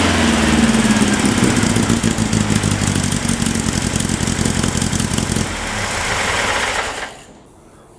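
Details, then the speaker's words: Air-cooled VW Baja Bug flat-four parked 20 years, after new spark plugs and HT lead: uneven busy chatter at fast idle, runs steadily several seconds before shutoff; engine runs fine. "that was um easier than i was expecting that's basically doubled the value of the car"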